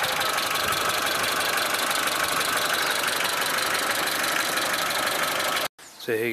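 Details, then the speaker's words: Suzuki SJ410 at a warmed-up idle: a light, fast tick over a busy engine note. The valves have probably never been adjusted, so loose valve clearances are likely. "The engine's warmed up now a bit, so you can hear what it sounds like. It's a little bit of ticking, but I haven't adjusted the valves on this."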